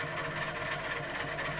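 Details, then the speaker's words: Hermes Model 505 electric typewriter (c.1978), old with replaced modified sewing-machine drive belt, switched on: constant steady fan-like hum and faint whir from its AC induction motor; a little noisy but even. "it's it's the reason why it sounds like an old electric fan is because it has got a um ac induction motor in which is more commonly found in the um electric fan not more like a um sort of dc motor"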